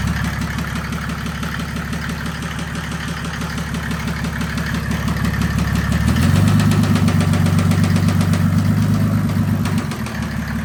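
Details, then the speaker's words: 1984 Mercedes 190D W201 drag car with built 1998 OM606 turbodiesel, after high-speed pulls; steady fast knock about four per second rising with revs; engine knock, injector fault suspected. "I think injector. I think so. Yeah. That sounds injector. Yeah, that was weird."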